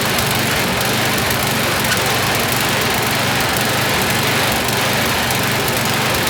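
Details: YardMan snowblower small engine test-run after an auger belt fix. Fast, high, steady buzz with faint unevenness. Speed is set a bit too high, needs throttle pulled back, and it stumbles slightly; idle circuit may need checking.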